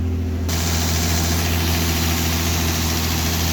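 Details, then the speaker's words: 1964 Austin Healey 3000 Mk 3 cast-iron straight-six after a few minutes warming up, about 1500 rpm, good charge, oil pressure normal, no exhaust condensation: steady deep rumble at fast idle, no knocks, misses or surges; normal warm idle. "warming up now for a few minutes no condensation coming out the exhaust anymore but a beautiful noise instead"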